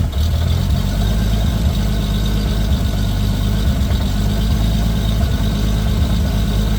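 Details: 2JZ-GTE swapped into a Lexus IS300, running a Fueltech FT550 on a base tune, first start-up: strong, deep, even idle with a steady low rumble and no knocks or misses; the freshly installed engine runs healthy.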